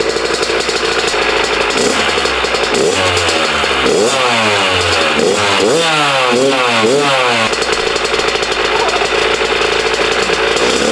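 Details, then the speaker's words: Carburetted dirt bike after fixing a throttle held open and turning the idle screw in: small single-cylinder rattles along at a steady idle, revs climb and drop cleanly on blips; running right. "So, that sounds like it's running right, which is awesome."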